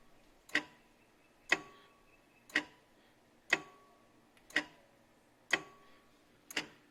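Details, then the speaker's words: 2007-08 Nissan 350Z (HR) cooling-fan active test, ignition cycled: relays click about once a second in a quiet bay but no fan whir follows; fans not running, owner suspects bad fans or relays, unconfirmed. "I can hear the relays clicking but I do not see the fans turn off which is what we want I don't see any of the fans turn on"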